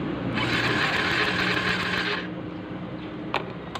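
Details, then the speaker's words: Engine that stopped running and won't start, new battery fitted, ignition coil spark test with plug cap held near the cylinder head while cranking: sharp regular snapping, about three or four a second, over starter whirr; strong spark, ignition coil healthy. "At ayan, napakalakas pa naman ng kuryente."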